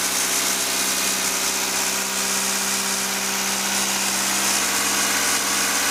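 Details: Toyota MR2 2.0 L 16-valve after repair of a no-start caused by the O2 sensor wire chafing on the body and blowing the 15 A EFI fuse; wires taped, fuse replaced. Smooth, even idle with a steady buzzy hum and no misses or stumbles.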